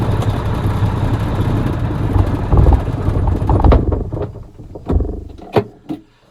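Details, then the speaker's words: 1983 Mack R600 300 HP diesel after replacing the throttle spring to cure low-speed surging when empty: deep even rumble, no surging or hunting, then winding down; fix appears to work. "But so far so good. I think that actually did take care of the problem."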